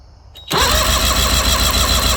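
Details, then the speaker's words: 1984 Mercury 40hp two-stroke four-cylinder outboard on a Tracker, no-start complaint: compression test on cylinder 4 with fast, even cranking pulses reads 125 psi; good compression and good spark, so a fuel-related start issue is suspected. "Oh yeah, 125. She's beautiful. All right, good compression and good spark."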